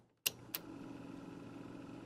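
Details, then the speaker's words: Nearly 50-year-old Harman Kardon CAD-4 cassette deck playing a tape recorded on it: button clicks, then a steady low whir under the hiss. Motor noise interferes with the playback output; it is absent from the recording itself and remains unresolved. "And you can probably hear the motor noise right there."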